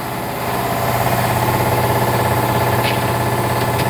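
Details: Harbor Freight air compressor pump newly fitted to replace a worn Gardner Denver pump, running indoors at 67°F; steady low chugging about three strokes a second with even hum, building pressure normally; owner hears an air leak.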